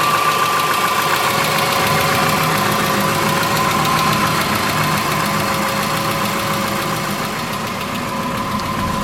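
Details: 2003 Subaru Forester, 178k miles, ~150 miles after dropped-valve-guide repair: light, even ticking at low idle, three or four a second, from exhaust valve lash of .029 on one cylinder; adjusting valves cured it.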